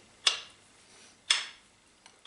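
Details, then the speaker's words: Lathe gearbox whose lead screw stopped turning: the gear selector knob gives three crisp clicks about a second apart, but the rightmost detent doesn't hold. The knob slowly turns in use and knocks it out of gear; the gearbox internals are fine. "And the click completely on the right side over here doesn't hold, which means while I'm using the lathe slowly but surely this knob is turning a little bit and then the thing is out of gear."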